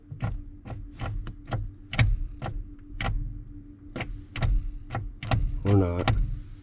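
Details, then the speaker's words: Chevrolet 6.2L diesel squarebody tow truck abandoned 12 years, key on with the engine off: sharp dry clicks about every half second, the glow plug relay cycling. "let's try it oh wait look at this it definitely is the glow plugs figure it out all on my own"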